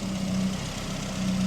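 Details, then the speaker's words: 1981 Ford Fiesta Mk1, 1.1L X-Flow, after new water pump replaced the old rattling one: smooth even idle, steady low hum, no rattle or tick, world of difference from before; normal idle. "Just listen to how quiet it is. It's an absolute world of difference from what it was before."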